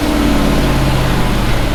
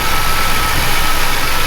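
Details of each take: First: pretty decent all right there we go the joys of a push rod engine Second: Chevy truck V8 after valve adjustment, warm, timing possibly slightly off: fast even idle with steady airy hiss from many vacuum leaks, source unknown, suspected cause of the high idle.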